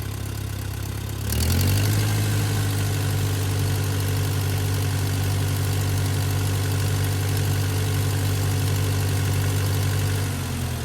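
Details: 1959 Case 300 tractor after the generator repair, idling; charging voltage spikes to about 15 V at idle but is correct at full throttle: steady, even low chug with no knocks or misses; healthy, settled idle.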